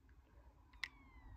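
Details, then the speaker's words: Fifth-generation iPod found after years, on charger: single sharp faint click as it boot loops after Apple logo; cause suspected dead battery or need for iTunes reset, unconfirmed. "Oh, it's making clicking noise as well. If you hear that clicking noise, this is an issue. This is boot looping."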